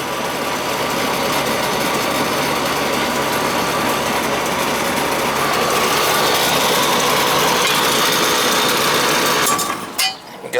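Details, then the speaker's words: Old Ruud outdoor AC unit with high head pressure: harsh buzzy hum with uneven rattling texture over the fan; compressor sounds rough and strained, may need a new unit. "hear it because it's compressor is not sounding all that good so you might need a new unit when it's high head pressure like that"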